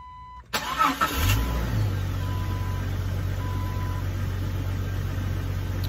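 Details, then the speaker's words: 1999 Jeep Cherokee 4.0, just after installing 4-hole fuel injector upgrade: short crank, catches quickly, settles to even low idle with injectors ticking; computer relearning fuel mapping, expected slightly rough at first but running well. "running pretty good you can hear the little fuel injectors ticking away"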